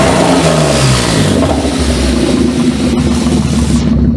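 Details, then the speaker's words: Renault 5 Maxi replica with Audi engine, first start, temporary wiring and air filter, throttle cable not yet linked, open exhaust, warming toward 75 °C; revs drop cleanly from a blip to steady even idle, no misses or knocks, runs well. "Ça va pas rester, hein, donc voilà, elle tourne vraiment bien."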